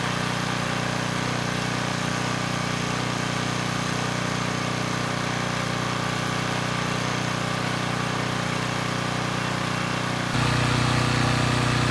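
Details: Coleman Powermate Pulse 1850 generator, 1996 engine, after carburettor repair, unloaded in driveway with speed set toward 61.5–62 Hz: steady, even drone, no misses or surging, one small tone shift near end; normal running.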